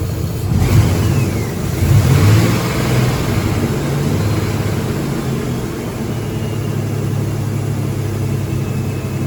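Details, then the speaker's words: Chevrolet S-10 in closed loop with a consistent misfire on cylinder 1 only. Revs, then settles into an uneven, lumpy, stumbling rumble. Cause not yet found; codes, live data, compression, spark, fuel and restrictions are being checked. "We're getting misfires on cylinder 1. Only on cylinder 1."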